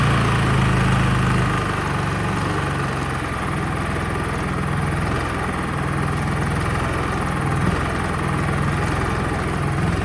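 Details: Honda EU30is 3 kW inverter generator, untested auction unit, running on half-load setting: steady, even low hum holding speed with no misses or knocks; normal running under load.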